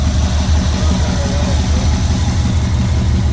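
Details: Subaru WRX STI build just after first start, engine warm: deep lumpy rumble pulsing about three times a second, settling to a steady beat, idling fine.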